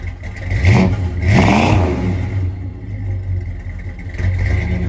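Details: 1968 Dodge Charger original 383 big-block V8 after a cold start: surging and stumbling, revs rising and sagging unevenly; misfire traced to points gapped too wide.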